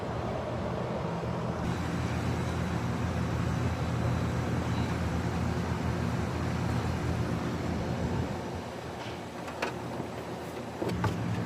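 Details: AC condenser on R32, Katy, about 80°F ambient, no-cooling call, gauges reading 147/250, evaporator 50, condenser 83: steady, even low hum from compressor and fan, no rattles, buzzing or clicking; condenser running normally.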